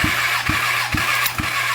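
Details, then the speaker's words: Kawasaki ZX10R engine, cylinder 3 cranking compression test: steady starter cranking with even pulses about every half second, no misses. The gauge jumped up to where it should be, reaching about 170 PSI; normal compression. "Jumped right on me. Now that's up where it should be."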